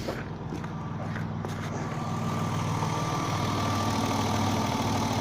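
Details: BMW E34 525 M50 inline-six idling with a rough, regular ticking knock about four times a second; spark plug on cylinder 5 left untightened after replacement worked loose, letting exhaust gas leak past.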